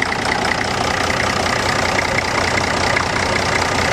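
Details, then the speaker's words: Old Case riding tractor with a big engine, mowing deck fitted: steady, unhurried idle with an even beat and no misses, knocks or rattles; healthy engine with good compression that doesn't smoke, even when cold. "pretty healthy motor sounds like it's got good compression everything"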